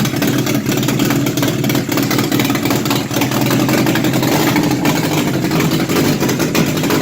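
Even, steady idle with a smooth low drone and no misses or uneven beats; engine settles and runs cleanly.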